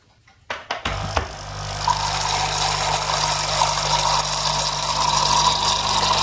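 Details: Capsule coffee machine after its clogged needle was cleared with a wire, set to hot: a few clicks at switch-on, then a steady buzzing hum with water hiss as the vibration pump runs and delivers water, though slightly spilling.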